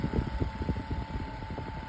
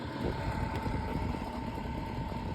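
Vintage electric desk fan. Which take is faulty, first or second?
second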